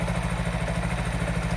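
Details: Honda Wave 110i automatic motorcycle at steady even idle with regular firing, no misses, after fixing no-start with no spark; normal idle.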